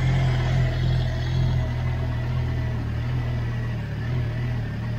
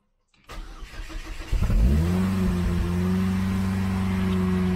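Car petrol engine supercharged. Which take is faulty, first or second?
first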